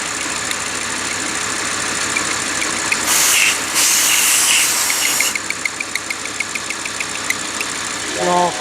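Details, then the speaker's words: Audi R8 V10, engine running: fast, regular light ticking or squeaking, about three a second, suspected from the crankshaft rear seal rubbing through crank end play. Lubricant was sprayed to test it, and the noise was gone after the rear seal/retainer was replaced. "소리가 날 때 저희가 이 윤활제를 사용해서 소음이 어떻게 되는지 바로 들어볼게요. 소리 나죠? 틱틱틱틱. 뿌려볼게요."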